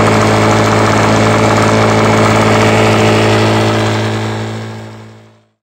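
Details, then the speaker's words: 1996 Toro 22040 commercial two-stroke mower, just started, not yet warmed up: steady idle with fast even tapping about four a second (Suzuki knock), then dies; owner suspects pre-ignition, unconfirmed. "this starts right up but you can still hear the knocking and it's not even been running for very long so"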